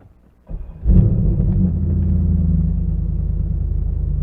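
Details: Corvette with a remanufactured starter fitted seven years ago, first start of the day: brief starter whirr, catches within a second and settles into steady even idle; clean healthy cold start.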